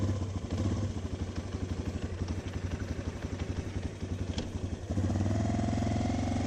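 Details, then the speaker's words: 2006 Yamaha Raptor 350 single-cylinder ATV riding: rapid, uneven knock over exhaust beat, mostly in first gear, occasionally other gears; sounds like crank, owner suspects transmission, may also do crank bearings. "It kind of sounds like a crank. But, it only does it in like first gear. And it does it every once in a while in the other gears, so I really don't know."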